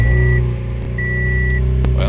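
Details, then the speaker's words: Toyota Yaris track car just after installing an FTG reflashed ECU, first start, ECU still relearning idle: steady even low idle hum, no knocks or misses, warning chime over it; fired right up, normal idle. "Well, so far so good. Fired right up, no problem at all. Sounds good."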